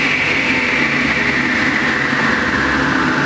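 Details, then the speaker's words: Delta Unisaw repulsion-induction bullet motor after brush ring adjustment and tighter shorting necklace spring: steady smooth hum, runs up to speed quickly with no earlier growling. "up to speed very quickly there's none of that sort of growling that you were here in with those earlier videos"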